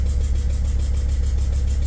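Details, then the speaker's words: T1N Sprinter diesel, leaking "black death" carbon: steady idle with sharp rhythmic puffing chuff every firing as compression blows past the unseated injector seal. "bunch more coming out so all that was already coming out anyway just getting packed into that crunchy carbon mess underneath the cover"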